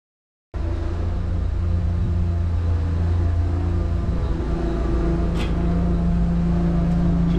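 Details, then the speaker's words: Ford LRG-425 engine on a JLG 80HX boom lift, cold start after a faulty automatic choke was replaced with a manual choke: catches cleanly and settles into a steady, even drone; normal running. "that is just beautiful"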